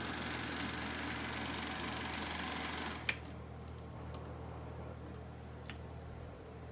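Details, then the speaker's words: Kodak Pageant AV-126-TR 16mm sound movie projector: mechanical chatter stops after three seconds, leaving a steady low hum of the lamp cooling motor running normally to remove lamp heat. "yeah this lamp is actually heated up like crazy it has a cooling motor to to eliminate the heat from the the lamp"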